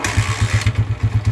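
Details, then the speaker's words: Honda TMX 155 single-cylinder idling after re-overhaul, previously very noisy like a cricket; even thumping about four beats a second, no ticks or rattles; clean, quiet, healthy idle, two weeks of gentle break-in advised. "Okay before and after yung andar niya kanina napakaingay Oh ngayon kaya tumahimik kaya brother L"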